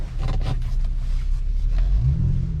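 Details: 2001 US-spec VW Jetta VR6 wagon on a parking-lot test drive while checking the gears: a deep, even engine note rises smoothly pulling away in low gear, no knocks or rattles; normal revving, sounds healthy.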